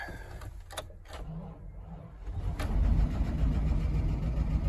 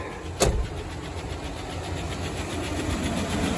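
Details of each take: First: Old Chevy truck jump-started after sitting: a few cranking clicks, fires right up and settles into a steady low rumbling idle with slight lifter tick that owner remembers goes away; normal start. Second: Old Chevy truck jump-started from another vehicle after sitting, fuel lines dry rotted: fires right up and settles to idle with a light, quick, even lifter tick tracking engine speed; owner recalls it goes away.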